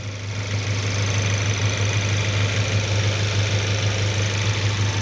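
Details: Idle of a rebuilt 2023 VW DLB engine (23k km) after a cold start and an oil and filter change, not yet warmed up. Smooth, even low idle with a steady deep hum and no knocks or ticks; healthy idle.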